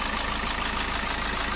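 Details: Suzuki Ertiga common-rail diesel, after an engine teardown for a cracked camshaft-holder cover that leaked oil: even, steady idle clatter with no knocks, misses or rattles; the engine runs smoothly.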